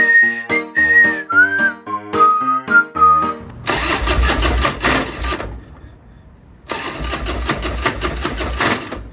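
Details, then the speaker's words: 28-year-old 1996 Harley-Davidson FLTSN, an hour from home: two spells of steady starter cranking with no firing or catch; no spark. "so it looks like I'm not getting spark and uh I'm stuck so hour from home"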